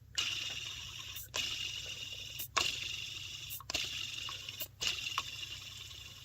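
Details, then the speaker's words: 2003 Toyota Matrix 1.8 1ZZ-FE, old belt tensioner pulley removed and spun by hand: a dry, gritty rush with play in the bearing, the source of the belt-area chirping. Worn tensioner pulley bearing. "And you'll notice if it's got a little slop in it, that's where likely the noise is coming from, right there."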